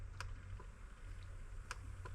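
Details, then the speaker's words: 4G63 DSM with a FuelTech FT550 after the burnt engine harness was rewired, fan output tested with a generic duty cycle: three sharp, separate clicks over a quiet room hum, the output solenoid switching cleanly and working normally. "should hear a click for generic duty cycle"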